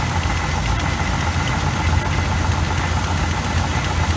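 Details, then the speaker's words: 1986 GMC small-block 400 V8 with Edelbrock carburetor, timing already adjusted: slow, lumpy, uneven idle that stumbles and surges irregularly, before the idle mixture screws are reset to 2.5 turns out; mixture suspected off. "it's up and running it's just idling like hell so we've been messing around with the timing"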